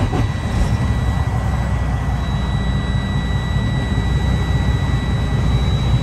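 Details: 2009 Freightliner Cascadia with about 1 million miles, started after expansion tank replacement and warming toward about 125°; steady low diesel rumble, even beat, no knocks or rattles, good oil pressure, healthy idle.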